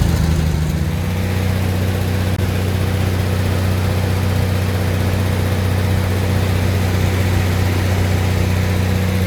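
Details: Lincoln SAE 300 welder with a Chevy inline-6 engine, after ignition circuit repair: a steady, even low drone with no misses or knocks, idling down smoothly. Normal running.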